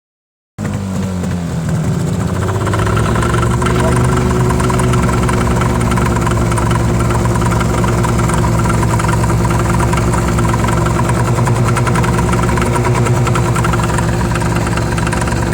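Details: Yamaha 25HP two-stroke outboard running without ear muffs: an odd, uneven pulsing rattle at about three beats a second over the buzzing drone. Owner unsure of the cause; unidentified abnormal running noise.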